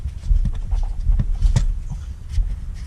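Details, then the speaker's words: Nissan Pathfinder with a front suspension knock on one side: uneven dull low clunks a few per second, traced to a cracked, worn suspension bushing. "I actually might drive it down the road to see if I can't figure out what that noise is that noise coming from this side"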